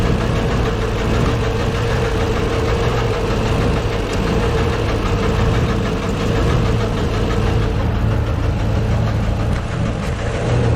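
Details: Deep, uneven internal knock at a rough, lumpy idle, valve cover off. Valves partly dry but moving. Owner suspects the cam or a valve. Penetrant tried; cause unconfirmed.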